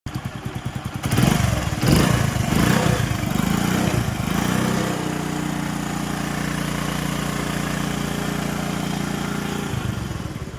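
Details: Honda bike, noise persisting after timing chain replaced three times: revs then idle with light quick rattle; cause worn tensioner, guide and badly worn oil pump parts left unreplaced.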